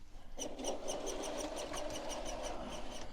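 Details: New Hornby Locomotion No. 1 model locomotive that fails to run satisfactorily at slow speed despite clean track: high squeaky ticks roughly every fifth of a second over a thin motor buzz as it labours and sticks; mechanism squeak, cause unclear.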